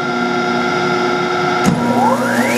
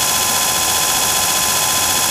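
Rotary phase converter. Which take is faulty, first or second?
first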